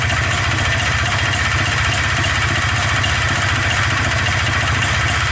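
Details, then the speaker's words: Polaris Xplorer 250 with a Yamaha Blaster 200cc clone carburetor replacing the flooding stock one, idling on choke to run richer: steady, even single-cylinder putter with no misses or surging. "i have to choke on figured that'll help it run a little richer"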